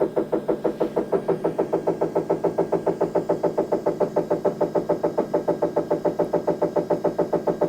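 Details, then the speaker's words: Anycubic Kobra S1 3D printer during auto leveling after the owner manually rolled bed corners out of alignment: harsh rhythmic clatter about three beats a second as the hotbed rises, grinding from the lift drive. "It's already making that fun sound. You hear it immediately make some of those horrible sounds, and it's starting to raise the hotbed back up."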